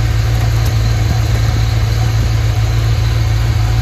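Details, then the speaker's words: Ford Fox Body first started after at least 2.5 years sitting, battery charged; deep, steady rumble with an even beat and no misses or knocks, a smooth healthy idle. "Idling smooth too."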